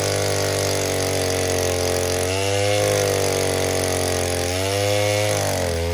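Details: 070 clone chainsaw with 42-inch solid bar, first use, cutting white oak firewood; strong steady high buzz sagging slightly in pitch as it bites into wood, recovering cleanly; cuts well under load.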